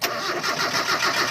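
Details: Mitsubishi Adventure 4G63 gasoline engine: the starter turns the engine over evenly at about five pulses a second, but it never catches or fires. Cranking with no start.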